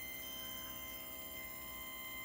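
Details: PrimaLuce Lab Sesto Senso 2 focuser on a William Optics 132 FLT, recalibrated at fast speed while driving back to zero: faint, steady high-pitched whine with several fixed tones; cause unclear despite reinstalling four times.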